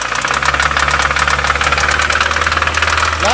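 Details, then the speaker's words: Mini One R50 1.6 16v 90hp petrol with light throttle from the driver: a fast metallic clatter over a steady low idle hum gets busier as revs rise. It started after a run to over 7000 rpm in 2nd then a shift to 3rd. No smoke. Owner suspects the timing chain tensioner. "j'ai passé la 3 et après s'est mise à claquer voilà comme ça voilà donc là euh moi je pense au tendeur de chaîne"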